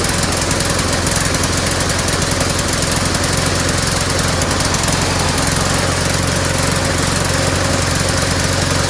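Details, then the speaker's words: Small single-cylinder lawnmower engine after fresh gas was added: uneven, loose, irregular chugging. It runs rough, starts poorly and wants to die; the owner suspects a valve problem. "I just put some fresh gas in it just doesn't sound right now"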